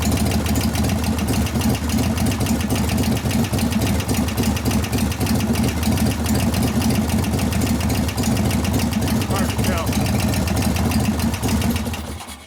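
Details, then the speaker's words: 1988 Harley-Davidson FXR V-twin warming up at idle: a fast, sharp ticking knock tied to engine speed grows louder as it heats. A rear hydraulic lifter isn't pumping up, not a valvetrain fault; the pushrod had been adjusted to zero gap. "right now I can hear the knock getting louder which one is it"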